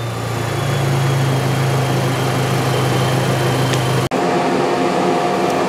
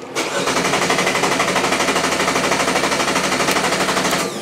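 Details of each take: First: GM 1.4-liter GDI Chevy Cruze engine training bench after the case-study fault was removed: even, steady low hum with no misses, knocks or surging; a normal smooth idle. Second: GM 1.4-liter GDI Chevy Cruze engine training bench, case study three (engine starts, runs a while, stalls, will not restart): steady rapid cranking for about four seconds that never catches, a crank-no-start from an instructor-set wiring fault.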